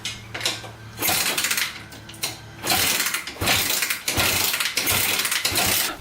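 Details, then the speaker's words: 1987 Honda 250X single kick-started after rebuilt top end and valve clearances reset at top dead center (exhausts were loose): four or five kick bursts, engine spins but never fires; no start. "all right no go i think we're gonna check timing next make sure that's good"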